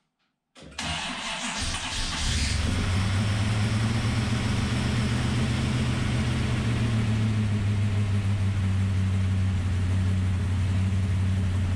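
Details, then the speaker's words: Ultima GTR V8 supercar sat 7 years in a warehouse, first start, super cold: cranks, catches with a flare, then rough uneven low idle that won't rev cleanly; oil pressure present, poor revving attributed to cold. "Obviously, it didn't rev really well because it's super cold"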